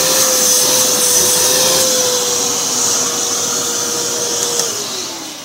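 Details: V H2O Turbo canister vacuum with four-speed motor: steady high motor whine holding pitch, then dropping smoothly as speed is turned down; even airflow hiss, no rattles; normal running at high speed.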